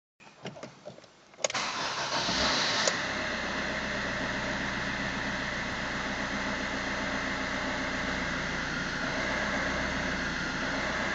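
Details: Fiat Punto 1.3 Multijet diesel rough idle after EGR valve replacement: catches quickly, then a lumpy idle with uneven, wavering low beat as RPM fluctuates heavily.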